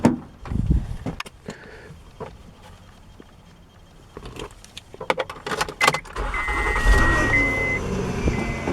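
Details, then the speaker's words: 2008 Honda Odyssey Touring, about 150,000 miles, cold start: engine catches and a steady high whine sits over the cold idle, noise worst when cold; failing power steering pump, replaced with a rebuilt unit. "as I was saying that's the power steering pump that's gone bad and I've got a replacement"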